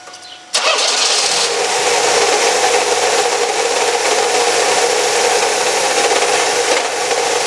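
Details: Chevy Cavalier 2.4L starting and idling: steady constant whirring whine from low in the engine bay; owner first suspected water pump, tensioner or timing chain, later found to be a bad alternator bearing.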